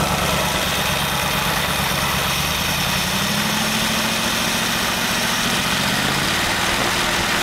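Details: Studebaker V8, first start on a new Evans intake manifold: smooth, even idle around 700 rpm, 18 to 19 inches of vacuum, good idle air-fuel mixture, no miss or hunting; normal idle.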